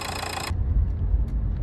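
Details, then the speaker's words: 2015 Renault Megane 3/Fluence 1.5 dCi diesel driving on and off throttle after the fuel return hose was replaced with a softer one: only low, even road rumble, the earlier off-throttle drone gone; smooth and quiet. "şöyle dinleteyim ses tamamen kesildi şu an gaz vermiyorum Az önce gaz vermiyor Ken ultu vardı şimdi gaz veriyorum biraz buğu yok"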